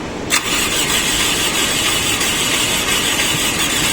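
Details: Toyota car stranded roadside, no start: starter cranks with steady harsh whirr, engine never catches; tight valve tappets blamed for the no-start.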